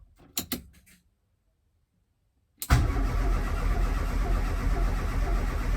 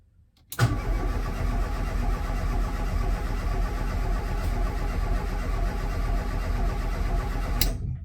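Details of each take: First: Ford Escort RS Turbo, unstarted since 1996, first start attempt, HT lead reconnected, fuel gauge reading nothing: a few clicks, a pause, then steady cranking about four turns a second that never catches, no fuel pump priming heard; cause unconfirmed. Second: Escort RS Turbo not run since 1996, HT lead disconnected: even starter cranking for about seven seconds with no firing, turning over to build oil pressure before reconnecting ignition; fuel level very low.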